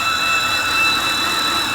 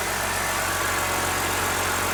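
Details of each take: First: 2013 BMW 328i E93 N52 at idle, low, rough, fluctuating idle, no warning lights: steady high-pitched belt-like screech, seemingly from rear of engine, stops when oil filler cap removed; torn CCV diaphragm in valve cover, fixed by replacing valve cover. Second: 2013 BMW 328i E93 with the N52 six-cylinder, after replacing the valve cover because a damaged CCV diaphragm caused a loud belt-like screech at idle: now a steady, smooth, quiet idle with no screech or whistle.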